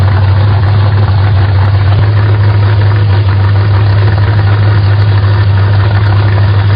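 Steady low engine rumble at idle with a slightly uneven beat, running but speed not yet settled while the idle screw is adjusted.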